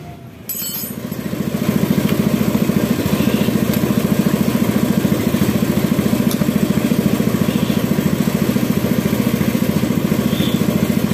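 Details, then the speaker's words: Yamaha F1ZR two-stroke after an engine rebuild, lacking power: soft, even popping idle with a flat, breathy exhaust and little punch. Low compression from a cracked, leaking cylinder head near the spark plug seat. "masih bagus kasih bar tapi kenapa suaranya ngempos sekali ya teman-teman seperti enggak ada kompresi"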